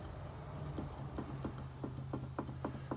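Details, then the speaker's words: Chevhell car differential, gears rocked by hand: loose, uneven metallic clunks about four times a second over a low hum; a little backlash that doesn't sound terrible; differential backlash clunk. "there's a little bit of backlash there. Doesn't sound terrible,"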